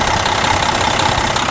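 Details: 1999 Freightliner FLD112 day cab, Cummins ISM diesel, 10-speed, low mileage; short stretch of even rumbling idle, no knocks or misses, clean oil and no blow-by; normal idle.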